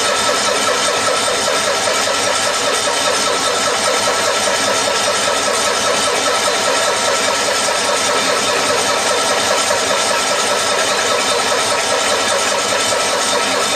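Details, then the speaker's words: 1974 Cushman Truckster Haulster, sat for years, after wiring repair: long steady starter cranking with no catch while the mechanical fuel pump refills a dry carburetor from a full tank; extended cranking, dry carburetor. "this still has a mechanical fuel pump in it so it's gonna have to crank a while to get fuel up to the carburetor"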